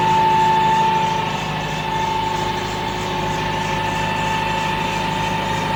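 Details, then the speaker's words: Hitachi excavator diesel that had hard starting, low power and misfiring from a very dirty tank that damaged the injectors, heard after the fix: even, steady idle pulsing about four beats a second with no stumble or smoke. The engine runs smoothly. "Ang ganda ng andar walang usok bumalik sa dati"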